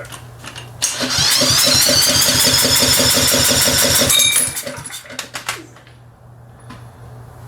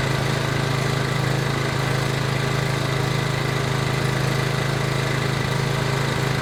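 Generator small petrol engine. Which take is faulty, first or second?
first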